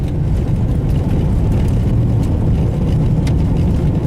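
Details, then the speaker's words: 2001 Pontiac Bonneville, cabin while driving after front wheel bearing work: only steady road and tyre rumble, with no growl rising with speed. The previous day's loud growl is gone, so the bearing now sounds healthy. "oh it's quiet already by this time when we heard that growl yesterday"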